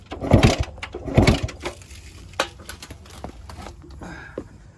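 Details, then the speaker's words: 1974 or 1975 Yamaha Enduro 250, believed two-stroke, barn find sitting for 27 years, kicked over out of gear: two firm kicks with compression chuffs, then clatter; engine spins over freely, not seized. "So that right there, I was definitely amazed when it kicked over."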